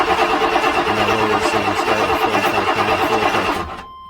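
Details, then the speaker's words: 1997 GM truck, 5.7 Vortec V8, no start when cold: steady starter cranking at about three compressions a second, never fires. Fuel pressure primes to 55 but does not hold; later testing points to a failed fuel pump. Crank no start, low fuel pressure. "well it went up to 55 but it's not holding pressure at all and i know my gauge isn't leaking so that's either a faulty fuel pump or a faulty pressure regulator"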